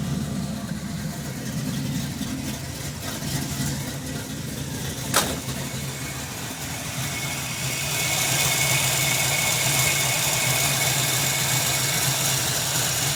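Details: 1991 Ford Mustang: uneven, stumbling idle with irregular beat, then a rough-edged rev; engine missing on a cylinder.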